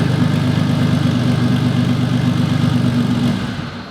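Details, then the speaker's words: Turbocharged classic Porsche 911 with Garrett GT30, run before swapping to an eBay turbo: deep, even flat-six burble holding steady, then dying away smoothly at shutdown with no knocks or misses; engine sound. "As you can see, it runs like a dream."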